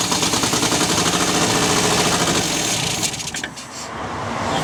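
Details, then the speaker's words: 1974 MGB GT sitting 29 years, first start attempt: uneven stumbling firing with harsh clatter, revs sag nearly dying, running on at least two cylinders; owner suspects one carb not picking up, sticking valves or wrong firing order; rough running and stalling. "well we're running on uh at least two cylinders anyway so i'd say one of the carbs just hasn't picked up yet you know that it sounds like uh it sounds like the valves might be getting stuck"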